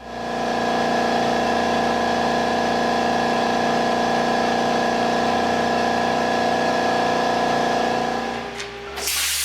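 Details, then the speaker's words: Smaller backup air compressor patched into shop air system, feeding directly into 80-gallon tank because main compressor too cold to crank: loud, steady motor drone with even pumping hum, no knocks or rattles; running normally while building pressure. "so let's get this connected fire it up and see how long it takes to get the whole system up to pressure"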